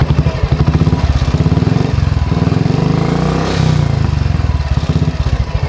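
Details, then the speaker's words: Royal Enfield 350/500 cc single-cylinder at 15,452 km, revved after cam gear setting: crisp even thump rising and falling with throttle; the previous kat-kat tappet ticking is gone, valve train healthy. "ये देखो दोस्तों जो cut cut cut cut आवाज़ था वो पूरी तरह चला गया है, रेस करके दिखाता"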